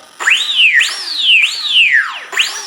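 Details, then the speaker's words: ZOHD Dart Sweepforward wing (PNP), Taranis setup: throttle blipped, motor's high whine climbs and falls smoothly with no grinding; normal motor spin-up. "So if I give it the throttle, we should hear the motor spin"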